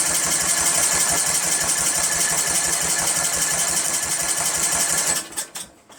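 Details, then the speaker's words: 1999 Craftsman LT1000 lawn tractor, Briggs 17.5HP engine with swapped-in Walbro OEM carburetor and starting fluid, choke on: five seconds of fast even cranking, not a single pop; 130psi compression, valves to spec, spark good, still no start. "Nothing. Damn, nothing. Come on, it should at least pop. Nothing. Not one thing."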